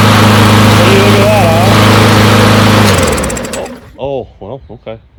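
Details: Push mower from a neighbor who said it wouldn't start; new air filter fitted, not run in quite some time. Even, steady drone for about three seconds, then it winds down and stops right off the bail; ran smoothly before quitting; normal running.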